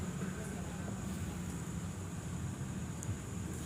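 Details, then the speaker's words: Used 2008 Toyota Corolla Altis with 141,000 km and oil pan seepage: a steady, low, even idle with no knock, rattle or rough noise following engine speed; the engine sounds healthy. "Kita dengerin suara mesinnya ketika dia selera si seperti ini tiada ada suara kasar yang mengikuti so putaran mesinnya teman-teman"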